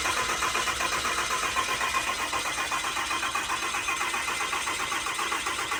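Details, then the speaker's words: 6.4L Cummins diesel just installed in an 07 quad cab, cranking with injectors unplugged to build oil pressure, so it won't start: even starter whir, steady pulses about 2.5 per second, no knocks or grinding; normal cranking. "Now we are going to crank it to build oil pressure. The injectors, again, are not hooked up, so this thing's not going to start."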